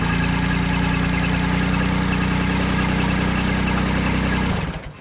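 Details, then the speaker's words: JLG Baby Scissor lift engine with new starter, new battery and the original crank position sensor backed out two turns from the reluctor. Cold start settles into a steady, even idle with no misses or knocks, then shuts off cleanly. Normal cold start and idle. "Okay, so now, it's cold, it seems to be working fine."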